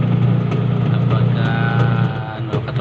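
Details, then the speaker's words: Washing machine after gearbox replacement: a steady low motor hum with only soft, light knocks as it agitates quietly and normally, no longer noisy. "tine-testing na natin yung kinabit natin na gearbox ayan kung okay naman siya at Ah hindi na siya maingay"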